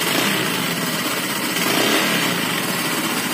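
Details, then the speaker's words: Honda Vario 125 FI (injection) scooter idling harshly with uneven gritty roughness and loose clatter, plus radiator coolant spurting upward. The noise is not from the CVT; piston rings, piston and block are worn with excess clearance. Rough engine noise. "ini suara mesin kasar Ternyata bukan dari bagiku penyakitnya bukan dari sini bukan dari tempat CVC nah penyakitnya berasal dari tengah sini di bagian piston ring"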